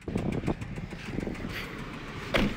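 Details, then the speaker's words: Car with a rod knock driven under light load while loading onto a car hauler, wind noise present: faint, regular deep knock that worsens with more engine strain. "You can hear the rod knock, okay?"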